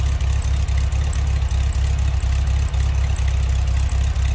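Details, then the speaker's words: 1966 VW Beetle, restored ex-California car: air-cooled engine at idle heard from the rear engine compartment, a low, even putter with a steady beat and faint fan hiss, smooth and not smoking; normal idle. "That iconic VW sound. And smooth, see it's not smoking."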